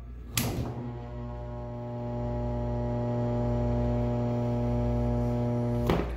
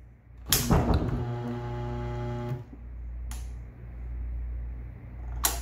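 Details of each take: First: Single-phase electric appliance/shop motor bench test: loud steady mains hum with a thunk at each end; motor only hums and won't start on its own because the start windings are burned up, yet runs fine if given a tug by hand. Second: New single-phase motor for a washing machine, bench-tested before fitting: catches instantly on power with a clean rising hum, runs smoothly about two seconds then is cut; centrifugal switch working, normal start-up.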